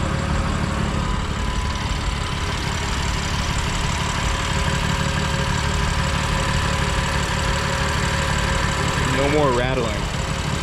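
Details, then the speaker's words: 2020 BMW F82 M4 S55 engine idling: light quick ticking is the normal sound of the fuel injectors; the camshaft bolt rattle is no longer heard. "just that sound from the fuel injectors."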